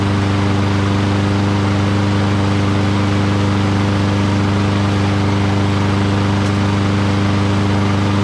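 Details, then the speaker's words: Curbside Lawn-Boy rear-wheel-drive push mower, found water-flooded with a broken spark plug. After the carburetor was cleaned and fuel added, this is its first start: a steady, even drone with a smooth firing beat and no misses or knocks, running properly. "so how about that engine runs great doesn't it so smooth that's nice"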